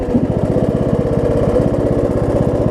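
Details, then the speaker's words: Rebuilt John Deere D110 mower under load: a steady low rumble with a mild, fast, even thump. The owner believes it is just the governor kicking in with the load, says the governor works great, and notes it doesn't backfire at shutoff. "it's got a little rumble to it but you know you can kind of hear a little bit of thumping there"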